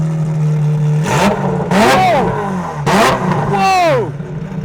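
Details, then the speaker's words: Ferrari 355 manual after engine refresh with new Tubi, Larini and Capristo exhaust, valves open: four sharp throttle blips, each climbing cleanly and falling back with a deep chest-hitting burble; healthy V8 rev. "Suddenly, the volume has increased and so has that burble. It's really hitting you in your chest."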